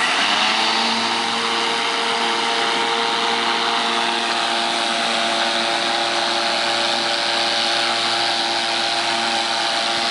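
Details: Battery-powered electric lawnmower, four 12 V 12 Ah AGM batteries giving 48 V (52.8 V measured) to a DC permanent magnet motor: steady high whirr with constant tones, no grinding, surging or rattle; motor and blade run smooth.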